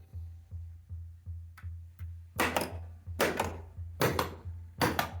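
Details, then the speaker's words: Bally Black Pyramid pinball in solenoid test mode: pop bumper coil fires with regular hard thunks about 75 per minute, some louder snaps, so the driver works and the fault sounds like a switch problem; pop bumper solenoid firing normally. "Oh, it did in this. Okay. So, sounds like it's a switch problem, not a driver problem."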